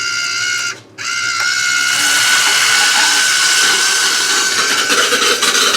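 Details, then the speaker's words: EcoWater ETF AIIF9-115 Birm iron filter, restarted after birm and gravel replacement, with a manual recharge started. Loud, hissy rush with a sputtering edge as trapped air blows out of the line, which takes a few minutes to clear; normal air purge at regeneration start. "And you can hear all the air coming out of the line. That'll take a few minutes to get that air cleared out of there."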